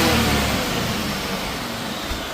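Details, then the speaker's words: 2004 Mystichrome Mustang SVT Cobra that was running on six cylinders when bought: crisp, even rev falling away smoothly with no stumble or miss, now running cleanly on all eight cylinders after repairs. "How much better does this sound today than when you guys brought it home? It was on 6 cylinders when we got it."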